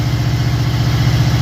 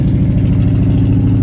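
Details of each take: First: 1979 Camaro Z28 V8 after replacing seven of eight spark plugs (one plug blocked by header), still warming up: deep, even low rumble at idle, steady beat, no misses or ticks; normal idle. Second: 1979 Camaro Z28 V8, cold start after sitting a few weeks, old ignition wires arcing (sparks seen at night): steady even rumble at raised fast idle on choke, no misses heard; high idle on choke.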